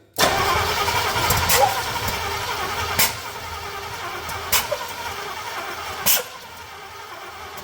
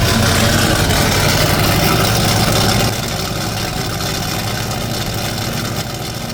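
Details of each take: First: Chevrolet C30 truck engine with ignition parts swapped from another truck, first start attempt; cranking with sharp pops coughing back through the intake about every one and a half seconds, flames out the intake, ignition timing 180 degrees out. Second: C30 truck engine using ignition parts borrowed from another truck, carb bowls filled by hand, first run: V8 loping at an even, steady idle, about three firing pulses a second, smooth with no knocks or misfires; runs normally.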